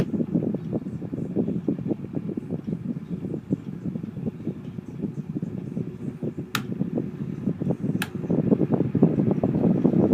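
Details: Honeywell fan running with a loose, uneven rattle and clatter; worn, bad motor bearings, fan dying.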